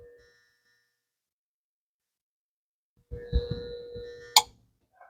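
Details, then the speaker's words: Electrolux DC35A refrigerator that doesn't cool, just plugged in: strained compressor hum for about a second, then a sharp click cuts it off; compressor stalling and tripping its overload protector. "o compressor tá fazendo esse barulho e tá saindo fora"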